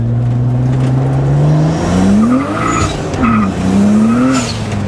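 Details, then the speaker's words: BMW E30 with swapped N54 turbo engine, after cleaning dirty injectors to cure a high-boost misfire: fourth-gear pull from 35 mph, engine note climbs smoothly under load with no stutter or pops; no misfires. "here we go fourth gear pull 35 miles an hour no misfire so far jesus goes fast quick though goes really fast quick"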